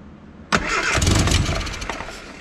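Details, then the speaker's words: Austin America (Mini) with SU carburettor, first start after new fuel filter, fuel pump fix and battery: engine catches and settles into a slightly lumpy, soft idle; mixture adjusted to maximum rich, far too rich. "that smells super rich all right that's mostly we are massively rich"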